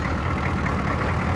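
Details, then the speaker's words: 6.2 L diesel conversion truck, ex-military, started cold in winter snow after five days unused: it started right up, with a low, steady, even idle and no misses or knocks; a healthy cold idle. "i haven't ran this truck in about five days hahaha it started right up and this is an older truck"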